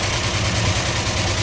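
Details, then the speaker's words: 1967 Dodge Charger, 383 V8 with four-barrel carb, Hedman headers, roller rockers, automatic: deep steady idle rumble with light roller-rocker valvetrain clatter on top; normal idle. "Here's that 383. Floor barrel on it. Headman headers, power steering, power brake. Nice tidy engine compartment. Then you hear the roller rockers."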